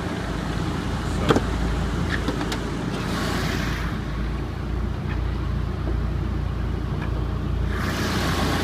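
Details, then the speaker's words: 1996 Mitsubishi Lancer Evolution IV GSR (JDM) with new radiator and flushed fluids: steady, even idle with no knocks or misses, radiator fan rushing loudly over it and a deep-sounding muffler; normal idle. "so this is the motor running obviously you can hear the fan running"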